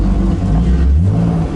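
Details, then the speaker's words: BMW E36 with S52 engine, recent turbo setup and ARP head studs, drift car; deep low idle wavers and pulses instead of holding steady; driver unsure whether this is normal: idle flutter, cause unknown. "So it's doing like a little idle flutter, and I'm like, is this normal? Is this not normal?"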